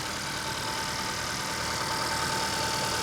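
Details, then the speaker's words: Used Acura TLX, about 96,000 miles, at auction walk-around: engine barely audible over background hiss, faint steady hum with no shake or knock; quiet, smooth, healthy idle. "Listen to the engine. You can't hear it."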